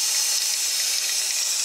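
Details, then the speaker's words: 6.0 Powerstroke high-pressure oil system air-tested, engine off, driver valve cover removed: a steady high hiss with a faint gurgle near a rear injector. Air is escaping past a torn injector O-ring. "okay we got the driver's valve cover off and you can definitely hear a leak on this side try to figure out what it is"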